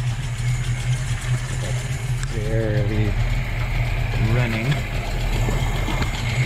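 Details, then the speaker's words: Volvo B18 engine with a Weber 32/36 carburettor has a low, lumpy, barely running idle with a faint hiss while the idle mixture screw is being set; it is running very lean and misfiring. "you can hear it there's like a hissing yeah so it's running very lean"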